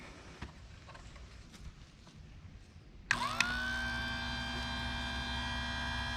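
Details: Chicago Electric electric chainsaw sharpener grinding a Stihl chainsaw chain set at 30°; motor spins up to a steady high whine with a bright gritty hiss on top, an even, healthy sharpening grind. Normal grinding.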